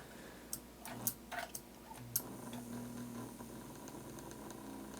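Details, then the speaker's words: American Flyer Royal Blue locomotive motor after cleaning and lubrication, running at crawl speed: quiet, steady low hum with light ticks, no stutter or grinding; very healthy motor. "Same for forwards. This is excellent performance. Very healthy motor."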